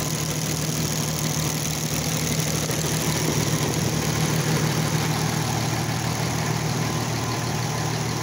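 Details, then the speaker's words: Oliver 880 tractor unrun about 23 years, choke almost fully out, little blow-by at pushrod holes, some smoke, rings suspected sticky: loud steady idle with rhythmic chuffing tick about three per second; hole in exhaust manifold. "there's definitely a hole in the manifold there get a little bit of smoke of course the choke's most way out rings are probably sticky"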